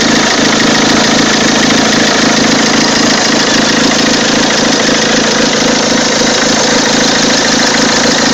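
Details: 2003 Peugeot 206 2.0 HDi 90 hp diesel at idle: loud clatter with a steady, fairly regular ticking of about four beats a second; odd abnormal engine noise, source unclear.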